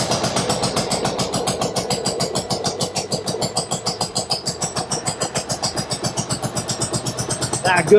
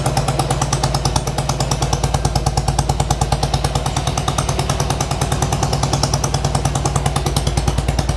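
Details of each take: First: 1995 Harley-Davidson Sportster V-twin, first start with freshly charged battery: uneven lumpy beat about four pulses a second, hollow lopsided note, running on only one cylinder; spark plugs checked next. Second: 1995 Harley-Davidson Sportster flat tracker project, warming up with choke partly on; rapid steady potato-potato pulses at raised idle, both cylinders firing evenly; running healthy, carb clean still needed.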